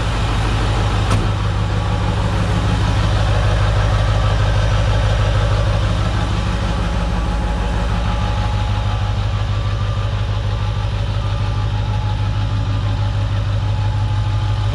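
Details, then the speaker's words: Diesel truck at its first successful start after a Stage 1 build with many new parts: a deep, even idle with a steady low thrum, no misfire or knock, running healthy. "I don't know if you can hear me, but this thing's running. Can't believe it."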